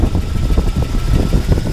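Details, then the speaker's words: Jeep Wrangler 4.0 inline-six with a dead miss on two cylinders, idling during an injector unplug test: uneven, lumpy exhaust beat that smooths when this injector is plugged back in, so this cylinder is not a misfiring one. "Here how it's smoothed out when I plugged it in. This is not the cylinder that's misfiring. It makes a difference."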